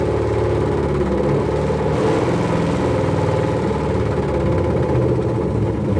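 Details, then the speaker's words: BMW E46 with an LS3 V8 swap at its first start, header smoking: deep, even idle with a steady low burble, a faint whir and no knocks or misses; engine runs smoothly. "works that's the header smoking guys what can I say it turned on it's been so long"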